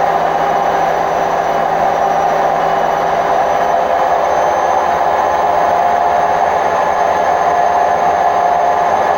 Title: Hotpoint WMF760 spin program with bad bearings May 2018